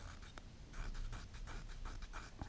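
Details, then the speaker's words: New cheap eBay 44mm external wastegate disassembled, shaft worked by hand: dry gritty scraping bursts; machine-marked shaft surface rough and binding. "There's the shaft. I can see from here the shaft has got the machine marks on it are not very smooth."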